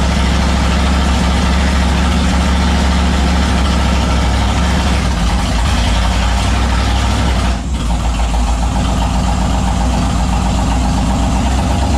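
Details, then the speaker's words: Turbo 5.3 LS-swapped Mustang: deep idle with an uneven, stumbling beat and a brief dip near the end; misfire, with a misplaced wire, fueling or injector settings suspected. "you almost think like a wire wasn't on the right place or something but i checked it like three times last night so it's it seems like an idle spine"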